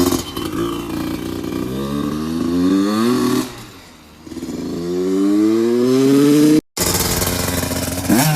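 Engine revs climb and fall cleanly through the gears with a smooth, even note and no knocks or rattles; sounds healthy.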